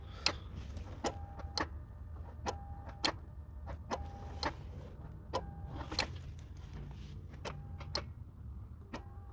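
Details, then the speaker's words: 2002 Toyota Sienna that cranks but won't start after a battery replacement, key switched on and off: sharp dry clicks in uneven bursts with the engine off. A relay in the underhood fuse box is cycling while the fuel pump stays completely dead. "off on off the fuel pump completely dead so you hear the click right there's a click going on yep you hear the click the click happened yep"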